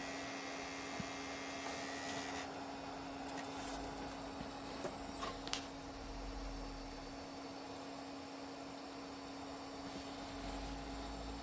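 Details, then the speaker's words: Beige Power Macintosh G3 booting: a steady low buzzing drone with a few clicks over the fan noise. The CD drive vibrates in its bay and causes the loud noise. "That's the CD drive's a little, this thing vibrates and is causing this to make a loud noise."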